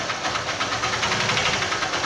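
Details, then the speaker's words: 150 cc motorcycle engine at idle with slight revs: sharp regular knock growing louder when revved, striking at top dead centre not bottom; worn connecting rod (biela), to be confirmed by opening the engine. "quando chega no ponto morto superior é hora da batida quando chega no ponto morto inferior não bate"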